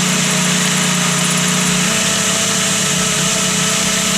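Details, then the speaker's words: VW Gol G2 engine idling: uneven light tec-tec tapping about four a second over the hum, mistaken for piston knock; actually the water pump shaft is worn and has play, pump about a year old. "o problema aqui é o que o eixo da bomba d'água tá ruim tá com folga"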